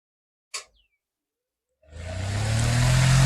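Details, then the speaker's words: Kitchen exhaust fan after repair with motor bush and shaft replaced and refitted in frame: click, then smooth even hum and airflow, no rattle; noise had been caused by worn bush and shaft, now running silent. "तो देखिए बिल्कुल भी आवाज इसमें नहीं आ रहा है तो दोस्तों आवाज करने का जो कारण होता है व होता है बुस और साफ्ट का तो देखिए बिल्कुल साइलेंट चल रहा है और इसमें बिल्कुल भी आवाज नहीं है"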